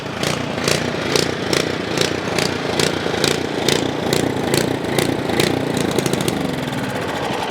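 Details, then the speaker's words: Ariens Path Pro 208cc four-cycle single-stage snow blower: the small single-cylinder idles unloaded with a ticking beat near 146 a minute that hunts up and down. This is idle surging; the seller said it goes away under snow load. "he says the surging goes away when you hit snow when you put a load on it and i get it but for me it just doesn't sound right"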